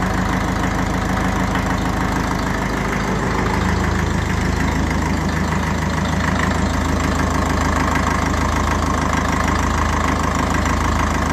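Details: 1954 Ferguson TE20 (TEF) diesel tractor idling after a heater-plug-assisted start on a cold day, unstarted for about three weeks, heater plug rewired with heavier wire; steady, clattery, rattly knock at even beat, no missing or stumbling: normal idle.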